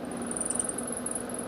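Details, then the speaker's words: Cooler fan motor kit running: thin wavering chu-chu squeak over low hum from a dry shaft bush; motor jams after running a while and makes a noise when switched off; fixed without replacing the bush. "तो आप आवाज सुन सकते हो चूचू की बहुत ही आवाज कर रही है और जाम हो जाती है कुछ देर चलने के बाद"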